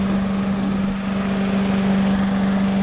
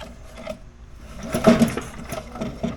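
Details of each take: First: Little Wonder blower Briggs & Stratton single-cylinder engine, which came in not blowing, after starting on choke with a little throttle: steady even part-throttle hum, slight shaking but no misses, knocks or surging; running normally. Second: Little Wonder blower with Briggs & Stratton engine that won't blow; pulling the starter cord gives uneven rasping drags with hollow clunks inside; owner fears the crankshaft.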